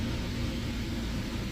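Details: Honda Prelude SH jacked up, running in fourth gear with wheels spinning: steady, deep roar from a worn front wheel bearing, later replaced along with the lower ball joint.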